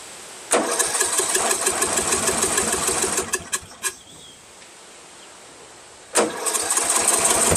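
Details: First start of a Craftsman 13.5HP mid-engine riding mower's replacement engine, magneto wired to the ignition switch. It catches, runs ragged, backfires sharply, dies, then restarts rough. Owner suspects a slightly sheared, hammered-in flywheel key throwing the timing off.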